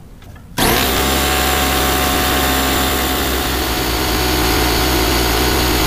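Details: Sears Craftsman air compressor model 919.167240 after its broken belt was replaced with new belt part AC-0815, run up to pressure: an abrupt start, then a steady loud pumping drone with an even beat and no slipping squeal or knock. This is normal running after repair.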